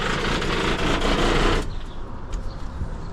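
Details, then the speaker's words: Barn-find 1973 Ford LTD V8 on a trailer before exhaust replacement: loud raspy uneven putter with sharp cracks, then shuts off; worn, leaking exhaust. "Looks like that sounds terrible. That's the exhaust."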